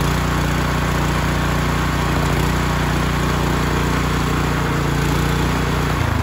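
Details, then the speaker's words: Ryobi 3100 PSI pressure washer, 212 cc engine with idle-down, throttle set manually, after clogged carburetor repair, pump not yet fitted: engine runs steady and even at fast idle with a smooth low drone, no misses or surging. "perfect so I ended wrong sounds pretty good now I gotta decide what pump I'm gonna put on it"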